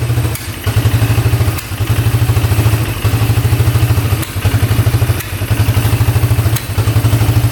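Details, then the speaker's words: 1997 Polaris Magnum 425 6x6 ATV single: thumps but stumbles and sags about once a second with popping back through the carb; owner suspects worn cam lobe. "oh it's running backf firing through the carb you can see that's not good"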